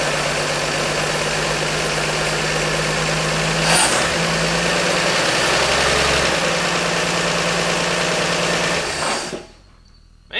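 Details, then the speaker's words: 1948 Chevy Fleetmaster engine running back to life after brake, valvetrain and exhaust work and valve adjustment: even, steady idle with smooth low hum, no knocks or misses, until it cuts off; fuel pump working despite a bad gas leak on the line. "it sounds good. We got a terrible ex uh gas leak on the line, but we know the the pump is working."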